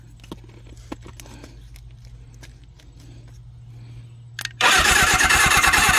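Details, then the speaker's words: Suzuki GS750 motorcycle, seized and unrun since 1983 (41 years), plugs reinstalled and ignition points cleaned; starter churns rhythmically with the key on, almost catches but never starts. "oh that almost sound like it was going to go for a minute there"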